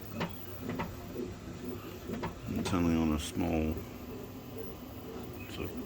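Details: Creality K1 Max 3D printer: sharp irregular banging knocks and brief buzzing whine every time the Z axis moves up or down, such as Z-hop, from the start and worsening throughout.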